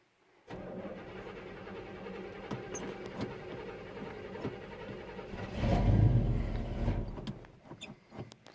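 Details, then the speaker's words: Normal starter cranking on a 1969 El Camino not started in several weeks. The starter was fitted with no shims after a 1/8 inch armature-shaft-to-flexplate gap was measured. It cranks evenly with no grinding or whine, then the engine catches and revs. "I'm going to open the door so maybe you can hear a little better. But there was no noise in that starter at all."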